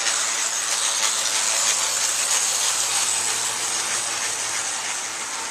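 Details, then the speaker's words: Tenshodo brass USRA 0-8-0 model steam locomotive, heavily geared down, running on track: constant harsh, gritty hiss with a faint ticking about three times a second; gears sound like grinding, a known issue with this locomotive. "because once I run it you'll understand why it makes a really loud noise that sounds like gears grinding"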